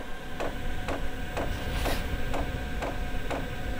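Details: Chinese diesel air heater, first test after garage install: sharp even ticks about twice a second over low hum, heater not yet lit; fuel dosing pump priming, though heater then blew cold.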